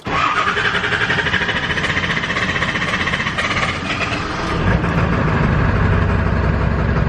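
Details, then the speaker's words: Diesel truck after a repair: a brief crank, then it starts right up and settles into a steady, even deep diesel rumble. Quick start. It later misfired, and injector O-rings are suspected next. "If it takes a while to start, then it was not my problem. And if it starts right up, then we should be problem solved."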